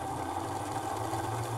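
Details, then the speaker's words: O gauge model diesel locomotive after cleaning and greasing the gears, run slowly: an even, buzzy whir at constant speed with no catching, grinding or ticking; the motor runs smoothly and is ready for a track test. "You just hear how smooth this engine is now. All right, guys, so it sounds like we're ready to test this engine out in the tracks."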